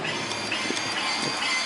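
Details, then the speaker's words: Motorcycle, key on with engine off: brief high buzzing whir of the ABS pump cycling through its normal key-on self-test. "got the key here it over in you can hear the ABS kicking and stuff"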